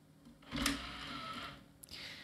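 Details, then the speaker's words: Scrapyard Plextor IDE optical drive made May 2003, jumpered to master, ejecting its tray: about a second of quick motor whir, then a firm clunk. A little rough and energetic but fine; the drive reads CD-ROMs. "it's a little bit rough but it's okay it's just a little bit energetic when it ejects the tray"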